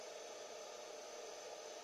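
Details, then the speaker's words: Sony DHR-1000B DV video recorder after repair, first power-up on 220 V: steady, even airy whoosh with a faint high hiss, no ticking or grinding; hard disk bearings silent, fan louder than disk, running normally. "j'entends le disque dur les roulements sont silencieux"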